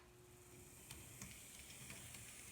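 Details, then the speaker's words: Bachmann BNSF GP40-2 model locomotive, running with the body shell removed after loosening a truck: only a soft, even hiss with light clicks and no creaking, which returns with the body on; quiet smooth running. "She's quiet as a mouse."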